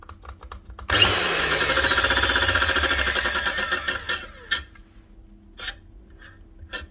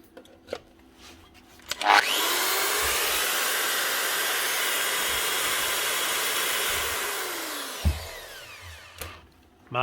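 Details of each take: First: Nearly new angle grinder with its guard cut through and a wobbling blade: the motor spins up with a fast rattling chatter and rising whine before the blade turns, then coasts down unevenly; something sheared in the gearhead, slipping instead of driving. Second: Bosch GWS 115 variable-speed angle grinder after a new gear head, brushes, bearings and a proper 240 V plug: spins up to a strong, steady high whine, holds even speed, then winds down cleanly; healthy at full speed.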